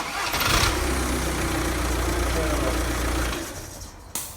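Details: 2007 Audi A4 2.0 L diesel after starter motor replaced for a no-start caused by failed solenoid, starter spins briefly and engine catches into a steady even idle; clean healthy start.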